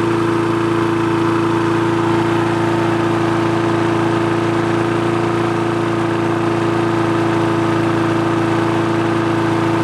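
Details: Free push mower that wouldn't start, after the carb was cleaned, its diaphragm and gasket replaced and a spring replaced: a steady, even drone at constant pitch with no misses or surging, RPM set via spring levers; running smoothly.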